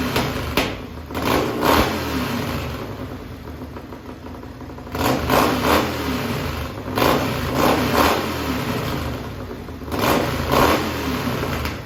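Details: Racing lawn mower twin-cylinder engine on methanol, cold and hard to start: loud twin barks through repeated sharp revs settling back cleanly, revved to about 9,400–9,500 rpm; healthy, crisp-running.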